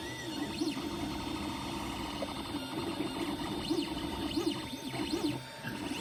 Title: Weird Noises from my Ender 3 pro